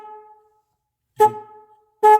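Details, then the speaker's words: Car horn powered directly by jumper wires to battery positive and negative: two short loud honks with a clean steady two-note tone; horn works fine, fault lies in wiring or ground connection. "we're not gonna go through that right now just because the fact that we know the horn works and we know it's a wiring problem"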